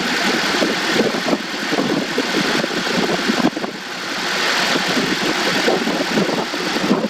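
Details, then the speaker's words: 2014 Honda CR-V 2.4L four-cylinder after spark plug change: smooth, even idle with steady hiss and faint air-conditioning compressor clutch whir; running fine. "it runs good. Got the air conditioner on, so you might hear that clutch turn on."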